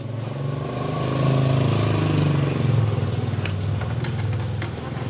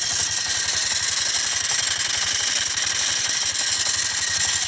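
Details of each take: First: Yamaha Mio Smile scooter running after repair; the rough CVT noise and rear wheel not turning under throttle were traced to a loose front pulley nut on a worn shaft, refitted with a washer: steady, even idle with no rattle or slap from the CVT; healthy. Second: Yamaha Mio Smile: a harsh, gritty scraping grind from the CVT at idle, and the rear wheel does not turn when throttled. Cause: a loose front pulley nut with the fan rubbing its case.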